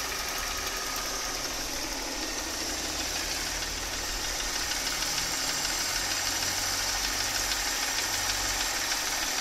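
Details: Mercedes M272.967 engine, warm idle: light, even ticking knock about three per second over a smooth idle, loudest on the left side of the engine; cause not yet pinned down.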